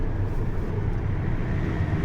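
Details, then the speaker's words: GAZelle after transmission repair, road test in fifth then fourth gear at about 60 km/h, formerly loud whine in fourth; steady low road rumble, rear axle not whining or humming: normal quiet rear axle. "Всё чётко, мост не воет, не гудит, всё отлично."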